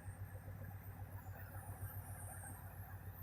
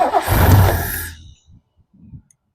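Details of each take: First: 1969 Lincoln Continental V8 sitting about 50 years, running after fuel bowls filled and a jumper wire hooked up: even, steady low rumble, about three and a half firing beats a second, no knocks or misses; smooth healthy idle. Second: 1969 Lincoln Continental off the road 50 years; the accelerator linkage is stiff. Engine catches with a deep rumble but stumbles and dies as soon as the throttle is released: won't hold idle.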